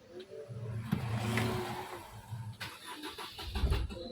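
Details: New Swift diesel with misfire code P0202 (tags mention P0203, long cranking, wiring): cranks and catches unevenly, surging and dipping a few seconds before settling; hard start, cause suspected.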